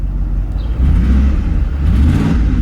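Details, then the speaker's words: Ford F-150 4.6 V8, first start after repair: steady, even low rumble with no stumbles, clean idle; slight exhaust leak and small lifter/injector tick noted, both intake cam position sensors suspected bad. "Listen, I mean, look how nice it idles."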